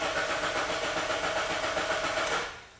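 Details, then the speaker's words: 2009 Honda Civic with an immobilizer fault: on the problem key the starter cranks evenly for over two seconds but the engine never catches, security light flashing; the immobilizer prevents starting, and a different key starts it fine. "now it won't start at all but if you look my green light's flashing and if I pull the key out it's still flashing"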